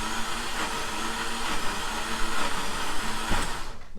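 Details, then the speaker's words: V6 Dodge Challenger engine that grenaded on nitrous, with block pieces blown out, cranking afterwards: fast, even starter whirr with no compression pulses and no catch, as if the flywheel is connected to nothing. "it sounds like uh the flywheel's not connected to anything someone stole all the spark plugs i think it's got one pistol"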